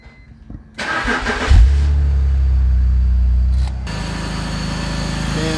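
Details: BMW E46 after a cooling system overhaul, started after topping off coolant: a brief crank, then a quick catch and a smooth, even idle with no misses; temperature fine while air bubbles purge.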